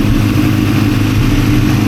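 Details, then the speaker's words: Honda CRX after a new flywheel was installed: fires right up, smooth even idle with steady low rumble and no knocking, ticking, clunking or rattling; engine healthy. "We saved the motor. There is no weird clunking, rattling, no weird noises, bro, whatsoever."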